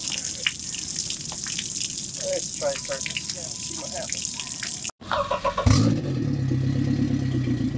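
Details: Suzuki outboard on a Carolina Skiff, first start after 6–8 months unused: water trickling, brief pause, then cranks, catches and settles into steady even idle with no stumbling; running normally, though later found not peeing (no tell-tale water stream).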